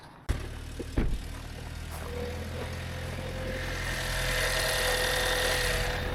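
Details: BMW diesel after DPF refitted (oily, milky exhaust pipe seen, suggesting coolant mixing), started to check for leaks: couple of starting clunks, then steady even idle with no puffing or ticking from exhaust; normal idle.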